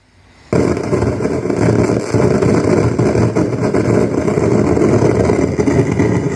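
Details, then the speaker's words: Anvox ACA1001 powered speaker box, customer reported hissing: loud, harsh crackling hiss and popping speakers at switch-on that never settles, volume control has no effect, and hiss stops when switched to Bluetooth; cause unconfirmed. "Tá feia a coisa aqui, viu? Nunca vi um defeito desse não. Os alto-falantes pipocando."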